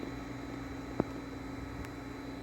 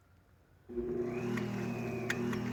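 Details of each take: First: Hayward Super Pump and sand filter on a Coleman Power Steel Deluxe 18'x48" pool after fitting quick-release unions and fixing an air leak at a fitting; a steady, low, even hum with no gurgling or rattle, one brief click; much quieter than before, running healthy. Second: Hayward Super Pump with sand filter on a Coleman Power Steel Deluxe 18'x48" above-ground pool, run on the rinse setting after backwashing; a steady motor hum with a sharp tick about four times a second, sounding strained; cause unknown, no sand coming out; inlets later found too small.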